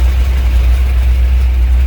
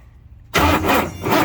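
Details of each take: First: 1967 Ford F100 shortbed, 429 big-block V8, start attempt on a jump box with a junk carburetor: idles right off the bat with a deep, steady burble, no misses or knocks; normal idle. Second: 1967 Ford F100 shortbed 429 big block V8, on jump box, after sitting: starter spins engine with steady churning crank but it never fires; crank no start.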